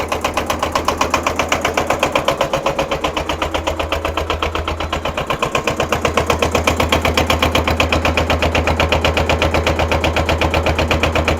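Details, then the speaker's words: Kubota L210 21hp diesel tractor, cold start after glow plugs, smoking: chugs at about four even beats a second with a lumpy, hollow note as one cylinder isn't firing yet; smoke should stop once it kicks in. "so we'll let it sit here and warm up once uh once that other cylinder kicks in it won't smoke anymore"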